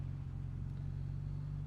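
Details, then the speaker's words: 1959 Jaguar XK150S Roadster, 3.4-litre, warm; deep steady rumble, nice smooth idle, good oil pressure, clean pickup responding nicely to the throttle, no knocks or misses, DB5 on dyno in background; healthy throttle response. "So there we go, nice smooth idle, good oil pressure, responds nicely to the throttle."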